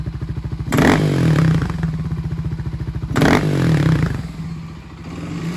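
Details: Kawasaki KLX250S with 351 big bore kit, warmed up: single-cylinder idle with two quick throttle blips from idle bringing a rattly clatter as revs jump; cause not yet known.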